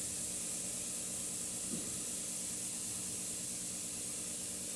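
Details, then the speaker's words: Shop heater radiator, cold because system not bled: steady thin hiss of trapped air escaping from the bleeder, ending with a spurt as hot water arrives. "that thing must have been full air it was completely cold this morning and the feed line was hot so all there was is heat coming through the bottom right through there"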